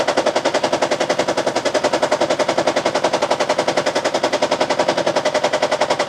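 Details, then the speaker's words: Toyota Prius with injectors 1 and 2 unplugged: heavy, evenly spaced chuffing pulses, nearly three a second, rock the engine. Yet the check-engine light isn't flashing and the scanner shows no misfire count or injector circuit code. "En este momento la luz de Chequin no está flashando. El scanner tampoco está reconociendo MFire con dos inyectores desconectados, ni hay código de circuito también de inyectores."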